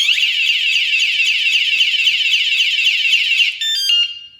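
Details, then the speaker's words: Wsdcam 113dB wireless vibration motorcycle alarm, bumped after arming: a loud warbling high-pitched siren sweeping several times a second, then chirps before cutting off; the alarm triggered and is working properly. "Now, anyone comes along and bumps into it, you get that sound. Again, they do that again, and it sets the alarm off."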